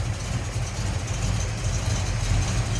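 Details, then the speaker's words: 1974 Dodge Dart Sublime coupe, 360 Mopar V8 with filter headers, Mopar intake and carb, idling hood-up: deep, heavy rumble with a slight rhythmic rise and fall, a mild cam lope; sounds good. "like we got a little cam to her. Sounds good."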